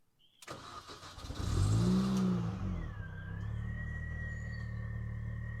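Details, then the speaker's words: R53 Mini Cooper S (supercharged), ECU suspected cause of earlier no-start: brief crank, then catches and settles to steady even idle with faint high supercharger whine that settles when warm; normal start. "So car started up fine, so it's all buttoned up back together."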